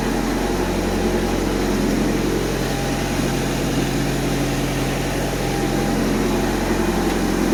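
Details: Honda Civic bought three days ago with issues, partly disassembled, fans on: steady, even idle with low constant hum, no misses or knocks; healthy engine settled at idle.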